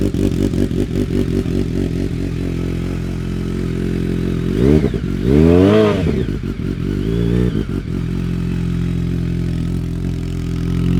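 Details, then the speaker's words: BMW K1200R after coolant purge, final drive fluid change and booster plug install: engine catches and settles to an even, steady idle with brief rev blip; earlier misfire-like sound gone. "running better that always used to sound like it was misfiring before I'm not getting that misfire sound"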